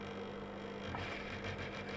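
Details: Sewing machine after resetting the needle bar, needle and rotary hook, which had caused skipped and uneven stitches: a steady, even motor hum with no tek-tek ticking, running smoothly and sounding healthy.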